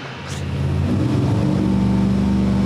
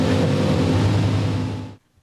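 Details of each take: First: Old-school small block Chevy with mechanical 8-stack individual throttle injection in a Fiat drag car: lumpy, uneven V8 idle, cylinders cutting out as idle is lowered; owner suspects throttle blades slightly off in their bores, plugs flooding on one side. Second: Old school small block Chevy V8 with 8-stack mechanical fuel injection for a Fiat drag car: crisp even bark revving freely and dropping cleanly, all cylinders hot, but idle still high, needs idling down.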